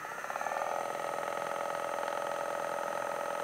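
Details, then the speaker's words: Kraft Hart massage gun run without a head attachment: steady high motor whine with a fast buzzing pulse and slight rattle from the mechanism; it was silent when new, and the noise grows with a head fitted and under pressure. "ufaktan da olsa Benimkinde de birazcık ses geliyor"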